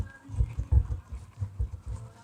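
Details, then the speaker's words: 1961 Buick LeSabre on jack stands, rear of the driveshaft rocked by hand: dull low clunks in uneven bursts show excess play from a failed center support bearing, confirming the source of the thump heard while driving. "this kind of confirms that this is what we were hearing cuz it shouldn't be doing that that much."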